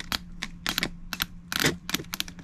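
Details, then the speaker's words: 2006 Suzuki GSX-R750 fuel injector bench-tested with battery power and carb cleaner, removed for rough running; crisp irregular ticking over faint hum as the solenoid snaps open and shut; injector clicking and atomizing normally. "all right we're gonna hook up the power wire actually here the here the injector you hear it work really"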